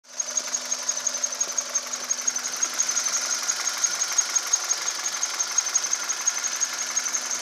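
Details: 2010 Cerato engine at idle: a thin, steady high whistle over light regular ticking. An abnormal high-pitched noise, cause unknown.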